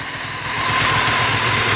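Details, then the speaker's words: 1979 Yamaha DT175 Enduro two-stroke with oil injection, fired right up after a plug clean and fresh gas but won't go into gear: a steady high howl rides over the ringing idle, the gearbox whining from being run with no oil. "she fired right up but I can't get it in gear there a lot of a lot of howling going on somewhere too I don't know what it is"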